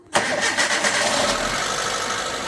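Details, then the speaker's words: Hyundai Getz, first cold start after replacing the hydraulic lifters: engine catches fast into a busy cold idle; a light patter in the first second fades as the new lifters pump up, where before the repair the knock was pronounced. "перший запуск трошечки затарабанили Ну і по факту вже можна сказать що заспокоїлись"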